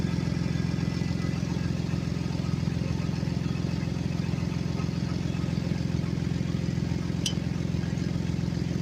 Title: customer States exhaust leak on a 2016 Ford explorer